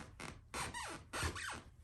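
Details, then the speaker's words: Sharp squeaks with a falling creak as weight lands on a hardwood floor flex point, a loose nail heard underneath; before fixing with a Squeeeek No More screw kit. "you can hear it right there there right about here seems to be one of the squeaking flex points i can hear the nail underneath"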